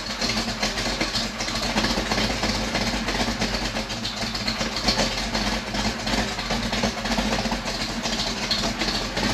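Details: 1956 Chevy wagon with tunnel-rammed big-block, first start after sitting all winter in a snow bank, smoky garage: lumpy idle with a quick tick keeping time with the engine; ticking at idle, source not confirmed.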